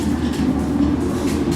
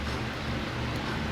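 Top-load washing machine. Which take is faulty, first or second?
first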